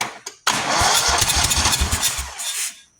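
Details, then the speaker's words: Buffalo Turbine industrial debris blower with 27 hp V-twin, after a shot of starting spray: short cranking burst with sputtering uneven beat dying away without catching; cranks but no start. "Fire. No fire. Okay, let's try choke."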